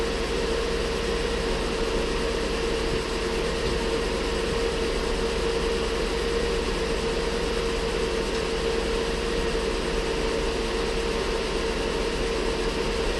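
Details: Ford Flex 3.5 first start after water pump and timing component replacement; steady idle with constant thin squeal from accessory belts contaminated with coolant, confirmed by spraying penetrating oil on belts; belts may need replacing.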